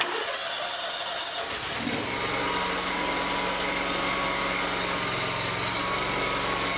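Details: Lawn tractor after installing an electric fuel pump to fix a fuel problem, pump switched on first: short crank, catches at about two seconds and settles into a steady, even run with no misses; running normally.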